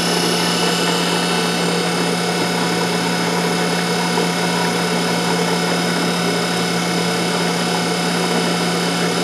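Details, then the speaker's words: Centrifugal pump with suction flow restricted, pressure low enough to boil liquid: steady hum with dense gravelly crackle, bubbles forming and imploding, discharge gauge jumping; cavitation. "we can always be in the pump to actually be in cavitation and see the bubbles you can hear it and we can also see about our discharge pressure gauge"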